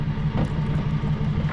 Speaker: sounds like a death rattle is what it sounds like